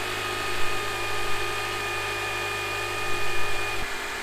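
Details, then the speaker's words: Copart auction rebuild car idling on the trailer just after starting, with the hood stuck shut. A steady, even low hum with no lifter ticks or knocking; the engine sounds healthy. "right so it's a started right up it sounds pretty good well here any lifter ticks or blanks or anything that shouldn't be there"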